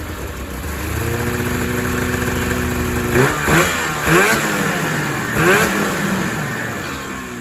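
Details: 2000 Ski-Doo MXZ-X 440 two-stroke race sled, first running after fuel system flush and water pump repair, airbox off: burbly uneven idle clearing with sharp throttle blips; owner says it might be a little fat, loaded up and choked at low end.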